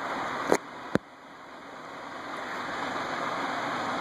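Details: Envirofan Gold Line 36" industrial ceiling fan model 136F, 2012, switched from medium-high to high on a custom four-speed control: two sharp switch clicks, then soft steady air rush swelling as it spins up; smooth, no wobble, normal.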